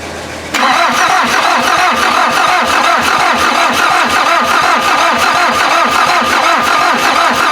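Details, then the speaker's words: VW diesel (Mazda offroad build) cranked: long even starter grind about three pulses a second, no firing; injection pump drained after removal eight months ago, still drawing air while fuel returns bleed; starter getting too hot to touch. "guess it just needs a lot of cranking because this this pump did drain out of fuel when I pulled it off of that block eight months ago or so"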